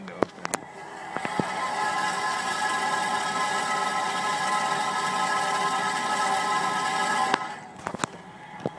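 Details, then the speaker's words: 2007 Honda CR-V while driving: loud, hollow grinding drone rises, steady for several seconds, then fades with a few sharp clicks; much louder with window open; cause unknown. "Kind of a hollow grinding sound. Not sure. Hope we can pick that up. Much worse with the window."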